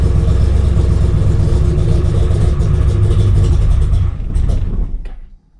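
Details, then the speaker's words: RX-7 with 7.0L 427ci LSx V8 swap, first cold start after sitting five months over winter, no throttle: rumbles unevenly about four seconds, revs sag and it stalls; typical start-stall, restarted. "okay prediction number one start stall it's typical try again"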